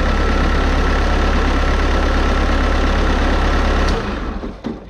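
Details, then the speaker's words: Wheeled Bobcat skid steer loader diesel with an intermittent starter-engagement fault, new starter about to be fitted: steady, even diesel idle with a clean firing rhythm, then shut down. The machine runs great once started. "okay well Machine runs great but as I said earlier you have to start it before it will run"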